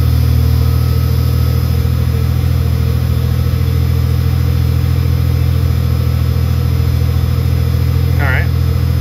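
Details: Ford Bronco II idling just after replacing a melted oxygen sensor connector and the O2 sensor for running poorly and dying on long trips: steady, even low rumble with no misses, knocks or ticks; engine settled and running smoothly.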